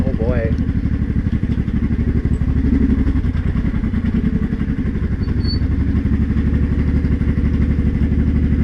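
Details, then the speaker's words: Honda Shadow 500 V-twin while riding: a fast metallic rattle over the exhaust beat under throttle, stopping off throttle and worsening quickly, after two months of low-rpm knock. Cause found: broken and loose flywheel bolts with no Loctite. "yeah that clearly getting worse oh maybe shove your way home and that'll be it for this year cuz that sounds that sounds bad"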